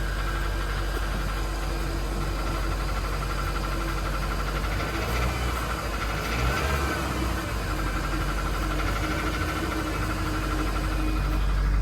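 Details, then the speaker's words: Toyota Corolla at about 262,000 miles on a cold start, needing a timing chain set: uneven light clatter over a rough idle about four per second; worn-engine rattle, timing chain suspected. "on top of the fact it also needs a timing chain set in the engine and it clatters like mad as you're about to hear"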